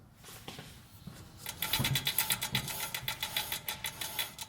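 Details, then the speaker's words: 2005 Toyota Corolla S, about 167,000–176,000 miles, heard from inside the cabin while rolling: fast sharp clattering rattle about four bursts a second from the rear wheel; suspected rear wheel bearing though no play found. "there is a rattling sound coming from the rear wheel"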